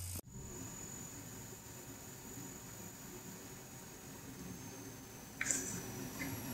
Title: Ayumilove GTX 970 Coil Whine - ASUS, EVGA, ZOTAC, MSI, GIGABYTE, GAINWARD